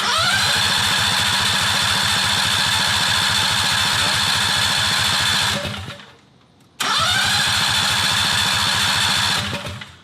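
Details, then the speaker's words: 670cc Predator V-twin go-kart sat for months with carburetor problems, choked: steady rhythmic cranking in two long bursts, never catches; suspected dead fuel cutoff solenoid on carburetor bottom. "Still not doing it. Well, fine. Oh well."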